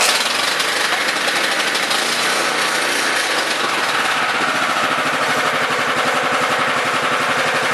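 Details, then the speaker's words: Honda FR600 5.5 hp tiller, unknown year, sat two and a half weeks, cold start on full choke in neutral: catches quickly into a brisk, even putter; healthy, though it needs half choke while tilling or bogs and stalls. "started right up it's a honda it doesn't seem to burn any low or anything i'm just going to go ahead and run it with the choke halfway on"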